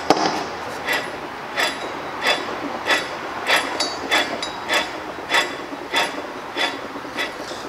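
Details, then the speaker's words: Wheel hub, strut assembly removed, turned by hand. A dry gritty rasp repeats about every 0.6 seconds. The wheel bearing is worn and is being replaced; at high speed it gives an airplane-like roar. "Eu não sei se vocês vão escutar aí, mas o rolamento raspa quando a gente gira aqui. E isso em alta velocidade faz um barulho, parece um motor de avião."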